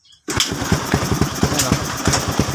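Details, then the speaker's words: Suzuki Skydrive scooter after patching holed intake manifold with glue stick: kick-starts at once into a quick, even single-cylinder putter, idle slightly high, no misfire; previously wouldn't start and idled erratically due to manifold leak. "umandar siya kahit walang silinyador o nakita niyo umandar kahit walang silinyador isa pa oh ayun oh ' ba try natin Biri kung palyado So yun ah hindi na siya palyado"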